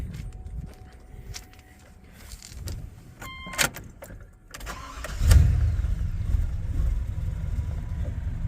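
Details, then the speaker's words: 1994 Chevy K1500 after a swap from 4.3 to 5.7 V8, using the same computer and temporary wiring. Clicks, a brief crank, then it catches cleanly into a steady, even low rumble. Good oil pressure; healthy start. "Everything, it just fires up, runs great, gains so much torque."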